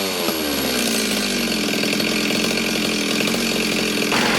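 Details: Ported Stihl 026 chainsaw with aftermarket muffler cover, restart check before cutting: fires right up, crisp, steady high-revving scream with no stumbling or surging; healthy.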